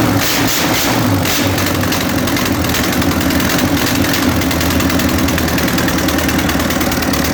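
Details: First start of A-41 diesel engine after overhaul: strong, even idle with a steady beat and no knocks or misses; engine runs smoothly and sounds healthy.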